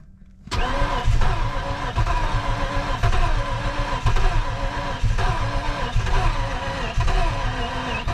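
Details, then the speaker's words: V8 project car that won't start, cranked with brake clean sprayed in: starter spins the engine at a steady fast rhythm but it never fires; suspected very low compression, not fully confirmed. "yeah and it's not firing off brake clean"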